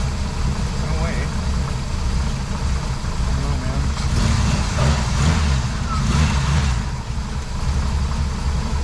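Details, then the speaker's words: 1972 Jeep CJ5, warmed up after a water pump replacement and radiator cleaning for overheating; an earlier knock was traced to the alternator hitting the frame. Steady, even low rumble with no misses or knocks. Normal running. "sounds good running warmed up"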